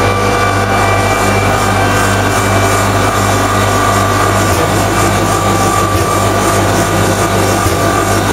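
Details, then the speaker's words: Common rail diesel injector on calibration test bench after turbo failure raised combustion temperatures, running over 500 shots: loud continuous buzzing whir with regular faint ticks, no stumbles; normal injector test run. "to turn your sound off while this is running it'll take a while cuz we're doing over 500 shots"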